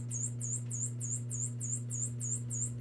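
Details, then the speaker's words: 1974 silverface Fender Super Reverb amp with new preamp tubes, still needing a cap job: steady hum with a fast, even high-pitched chirp pulsing with the vibrato rate, only in the vibrato channel; changes with speed, not intensity; classic vibrato ticking. "it's almost like the ticking that's a very common problem but obviously vibrato works and just the same way that the ticking happens it changes with the speed"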